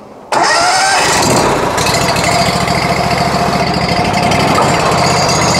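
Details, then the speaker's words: Honda iGX800 engine on a hot-water power wash trailer, started, fuel set about 25 and given gas: catches at once, settles into a steady even beat with no misses or knocks; healthy start and run. "well you hear that you can hear that torque in that motor"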